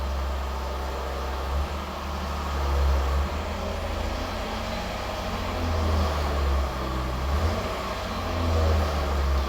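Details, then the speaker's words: Jaguar F-Type after high-temperature grease on the sport exhaust flap valve shaft: dynamic mode, flap open, deep even exhaust rumble rising and falling with throttle, slight sound change but no more squeak. "Là, le bruit disparaît, vous êtes en full échappement libre. Et là, le but c'est vraiment de le l'étouffer au maximum en col Stara. Donc ça fait peur. Hop, il y a eu un léger changement de bruit mais plus de couement."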